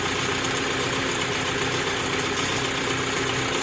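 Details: Daihatsu Zebra Espass petrol engine started and running without its fuel pump relay fitted. It holds an even, steady idle with a light mechanical patter and no knocks or misses; it is running normally.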